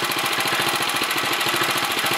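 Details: 1964 Sears Suburban 600 garden tractor, sediment bowl leaking fuel, carburetor likely needing cleaning and adjustment: loud, rapid, choppy single-cylinder popping, a bit uneven; runs rough, smoothing out slightly.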